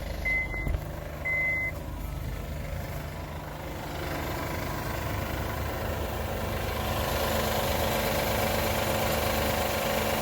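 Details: Honda Pilot cold start: two short chirps, then steady droning hum with whine-like tone lasting a few minutes; goes away once warm and does not occur when starting a warm engine.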